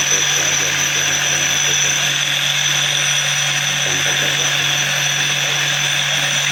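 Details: Mahindra Treo Plus 8 kW EV motor test run after repair for a sound problem (rotor, bearing, gear): steady, even whir with a constant low hum and no grinding, knocking or rattle; motor and gears running normally.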